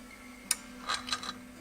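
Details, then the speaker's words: OsaiRing I/O module bench test of its relay outputs, relay coil energized by grounding pin 1: one crisp click as the coil energizes, then lighter contact ticks; relay switching normally. "let's turn that off your that relay clicking that relay is energizing when I pull pin one to ground"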